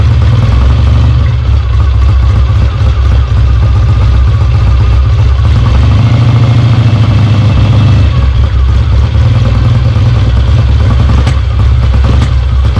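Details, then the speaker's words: Kawasaki W1 twin motorcycle on its first start after a rebuild, with oil flowing from the oil pump lines: a deep, loud twin-cylinder thrum with a steady beat and light clatter on top. Normal running. "all right it runs all right"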